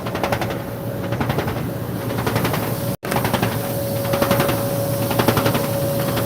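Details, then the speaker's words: Over a steady motor hum, sharp rapid rattling clatter in bursts about once a second as the paddle smacks the swaying part, making it super loud. "And here, that thing that's swaying right here, the paddle is actually smacking it and it's making it super loud."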